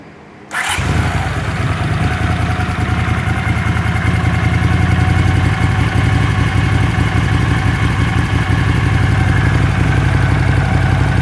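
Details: Honda CX500 twin, warm, first start after carb cleaning and bench sync (not otherwise synced), idle screw set to about 1000 rpm: short crank, catches at once, steady even idle; earlier no-idle-without-choke and white smoke problems gone.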